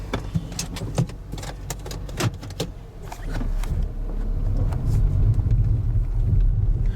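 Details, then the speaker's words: 2002 Toyota Camry, burns oil but engine runs smoothly, recorded while driving: uneven sharp knocks and rattles, roughly three a second, over road rumble; owner says the suspension is blown out, making it bounce and noisy. "can you hear that that is not the road bouncing that noise you're hearing is the suspension is uh blown out in this car and because of that it rides like it's bouncing down the road and uh it has a a lot of noise to it when it runs"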